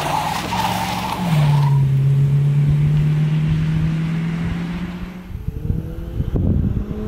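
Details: 1977 Chevrolet Caprice 5.7 (350ci) V8 after a 2-year restoration with a welded exhaust meant to cut vibration: deep, even drone holding steady under throttle, no rattles or buzzing; normal, healthy V8 exhaust note.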